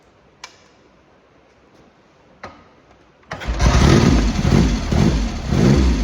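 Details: Triumph X75 Hurricane triple after rebuilt carbs, pilot screws richened slightly and left-hand carb adjustment corrected, not fully warm: a few clicks, fires at about three seconds, settles into slightly lumpy but steady idle; running better, slightly rich.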